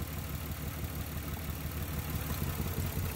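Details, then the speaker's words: 1994-1999 Nissan Maxima coil test: lumpy uneven idle with irregular stumble; unplugging the suspect coil leaves idle unchanged while others worsen it, confirming that coil pack is bad and causing the misfire. "Okay, so that lets me know that this one is the bad one, because when we undo this one, it doesn't change. The motor has no variation."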